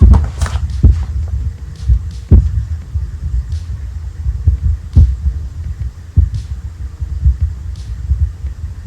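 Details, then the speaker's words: Definitive Technology 8080ST tower's built-in amp, still faulty after Definitive's legacy amplifier repair: deep throbbing low hum with sharp irregular pops about every second; the amplifier is faulty. "As you can see, I still have my GoldenEars set up there because when I received the amp from Definitive, it didn't fix the problem. It was still popping and making noise."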